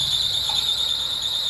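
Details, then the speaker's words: 2003 Lexus RX300 (first generation) at idle, VSC light always on and airbag light going on and off: steady piercing high-pitched squeal; owner suspects the alternator pulley, not confirmed. "What is that sound? Could it be the alterator pulley? Maybe."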